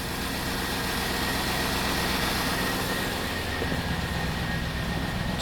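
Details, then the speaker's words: 1999 Cadillac Deville Northstar V8 after subframe swap, on its warm-up loop, quiet out back: smooth, even idle with a soft hum and no knocks or rattles; normal idle. "quiet, too, which I like. It's on its warm-up loop, but ooh, it's pretty quiet out back here, though, which is really nice."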